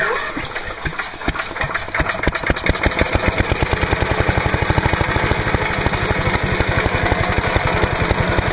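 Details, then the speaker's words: Trash-picked MTD Yard Machine chipper/shredder with 5 hp Briggs & Stratton engine, air cleaner removed, starter fluid sprayed into carb, on choke: catches with ragged uneven firing then a steady rapid beat; has spark and draws fuel, so little wrong. "well that was interesting and I think it demonstrates that we really don't have very much wrong with this at all we got spark it actually was sucking fuel"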